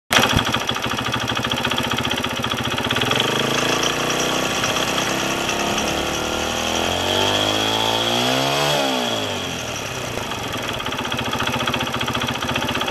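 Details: Kawasaki KSR110 single-cylinder: rapid light ticking over the engine beat, rising and falling with revs. An earlier rattling "shaka-shaka" noise came from the cam chain tensioner. After fitting a new tensioner and riding, a new noise appeared, suspected from the piston/head. Unconfirmed.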